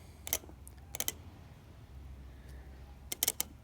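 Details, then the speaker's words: Automotive relay bench-tested with a battery across the coil terminals and an ohmmeter on the switch contacts: sharp, crisp clicks as the coil is energized and released, reading going from OL to zero ohms; relay switches normally. "I should hear a click when I hear a click this on the ohmmeter should go from outer limit to zero"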